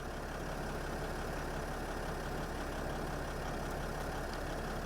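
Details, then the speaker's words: 2008 Freightliner/Dodge Sprinter 3.0L diesel after replacing a defective crank sensor (code P0335, crank no-start): steady, even idle with a smooth low rumble and no misses or hunting; the sensor now gives a square wave. Normal idle. "so the problem was the problem was a defective crank sensor as you guys can hear the engine is running and we have a square wave here"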